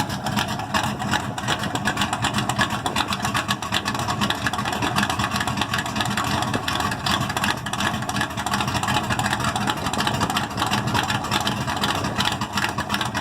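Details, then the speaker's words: Ford Maverick, 1990s HO block, Ford Racing flat-top pistons, ported Boss 351 heads, 276 Comp hydraulic roller cam, four-barrel, Tremec 5-speed, open pipes: loud choppy idle loping about three times a second, even beat, no knocks; healthy big-cam V8. "I know it's a 276 comp hydraulic roller cam. It thumps pretty good."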